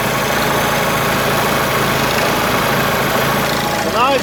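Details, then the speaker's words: Onan 4 kW carbureted gasoline motorhome generator, carburetor mixture screw opened too far after smooth running: holds speed but shaky, uneven beat instead of a flat drone; rough running from over-rich mixture, still not too bad. "probably hear it's not running as smoothly see the vibrations in the sound it's not a flat sound it's like it's still not too bad"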